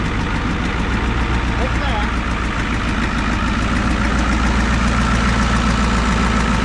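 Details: 1988 Ford rollback truck restarted after sitting about 10 years: even, low diesel clatter at a steady idle, about three and a half beats a second, no misses or surging. It idles normally.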